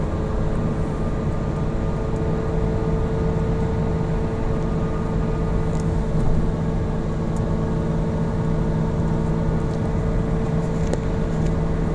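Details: Falken FK510 tires: constant low droning hum at cruising speed, no knocks or clicks; loud tread noise on the road.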